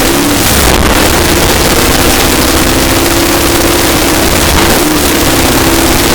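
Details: 454 Big Block Chevy stroked to 496, test run held at about a quarter to a third throttle: deep, even V8 rumble with steady tone and no knocks or ticks; normal revving.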